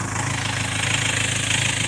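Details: 2.2 L Ford Transit common-rail diesel, before repair: idle clatter swells and sags as revs hunt up and down; rail pressure signal wavers, caused by a faulty fuel metering valve on the high-pressure pump.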